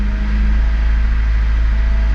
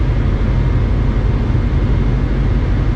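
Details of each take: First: 1996-2000 Honda Civic LX D16Y7 with stored code, warming up: low uneven idle sagging and stumbling, rpm gauge bouncing as it nearly stalls then catches itself, worsening until it dies; caused by dirty idle air control valve. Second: 1996-2000 Honda Civic LX D16Y7 after cleaning the idle air control valve, heat on full while warming up; deep, even idle that drops down with no hunting or stumbling, whereas before it stumbled and stalled. Normal idle.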